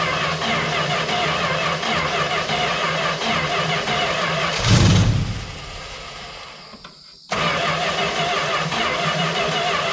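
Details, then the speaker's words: 1971 Plymouth Valiant Scamp V8, first run after 16 years parked: catches after a brief dip and settles into a steady even idle with no bangs, knocks or misfires; sounds really good, normal running. "sounds good sounds really good actually"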